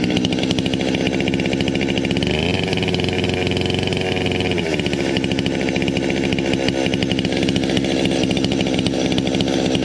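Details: 200T chainsaw, cold start before new carb, intake boot, impulse line and fuel parts; buzzy two-stroke idle sitting a bit fast, briefly picking up revs then settling; idle set too high.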